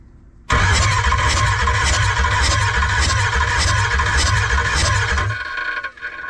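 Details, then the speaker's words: 6.0 Powerstroke diesel in a 2005 Ford F250 after a ring job, compression test while cranking: starter grinds with high squeal, slow uneven beat about three per second; readings 175, 0 and 110 psi, low compression. "Okay, looks like we got just 110, so that's not good. That means we're not having any compression here."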